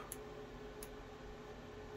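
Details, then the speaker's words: ICStation DIY RGB LED spectrum Bluetooth speaker kit, 4-ohm 2-inch speakers, on first power-up: two faint sharp pops over quiet hiss; speaker popping, owner suspects speaker badly damaged, cause unconfirmed. "let's have a listen lucious i'm hearing popping yeah that's really bad"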